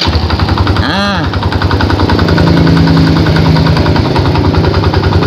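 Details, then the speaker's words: Yamaha Jupiter Z idling: steady, rapid dak-dak knock about three per second, heard from the right side, gone at quarter throttle; worn starter one-way clutch. "di sini mesinnya yang bermasalah ada suara kasar suara yang tidak diinginkan oleh yang punya ya begini nih suaranya"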